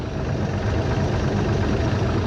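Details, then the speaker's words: 1973 Cobalt boat with Mercruiser 165hp, idling a little low, temperature holding 140 all day: low, steady, even rumble with no knocks or misses; a healthy, quiet-running engine, described as sounding cammed. "But right now she's idling. That's a little low right now. It sounds like it's camped."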